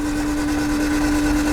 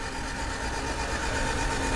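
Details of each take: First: 1991 Honda CRX Si barn find, seized over 10 years, freed and cranked after diesel in cylinders, oil light goes out: even, steady whirring hum while cranking, no catches, scrapes or knocks; engine spins freely, making oil pressure. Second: 1991 Honda CRX Si barn find, seized and unrun since 2013, freed with diesel in cylinders: cranking in neutral with spark plugs out, quick even starter churn with rhythmic puffing as each cylinder expels diesel.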